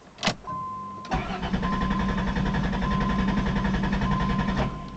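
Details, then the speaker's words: 1990 Chrysler Town & Country with spark loss (fuel confirmed fine), salvage 1989 Caravan PCM fitted, owner plans PCM replacement: steady cranking about three and a half turns per second, never catches; crank no start, cause unconfirmed. "and it's definitely it's got plenty of gas all that's fine it's just lose a spark"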